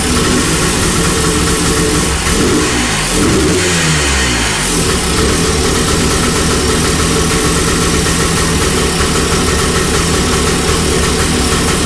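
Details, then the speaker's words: 1982 Honda ATC 250R (first gen) two-stroke after top-end rebuild (piston, rings, honed cylinder), first runs: idle hunts up and down, unresponsive to fast idle screw; suspected carb choke circuit sucking air, mixture off; replacement carb planned. "I really hope that we could have saved that one, but it's just, I think that choke circuit is sucking air, and that's why the idle's sporadic, and I can't dial it in. It's just not responsive to the fast idle screw."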